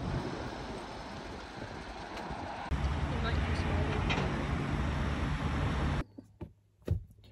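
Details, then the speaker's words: Rover 75 diesel just after sudden failure while pulling in to park: deep, heavy rhythmic pounding under a rough idle, then it cuts out; the owner suspects an engine mount, while the sound suggests a serious internal knock. "the AAA man's on his way so I think it's an engine mount but it is making An Almighty noise"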